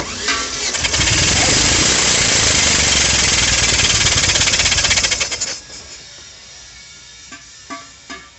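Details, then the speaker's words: 2005 Chevrolet Montana with a cylinder misfire, cranked with the coil and injectors disconnected for a compression test: the starter turns about four beats a second with an uneven beat, no firing; cylinder 3 reads zero and cylinder 4 about 50, a blown head gasket and valve. "E ai problema detectado terceiro e quatro e com problema no terceiro zero e no quarto tá dando só 50 ou 4 4 4 pressão ou seja junta do cabeçote queimou e válvula"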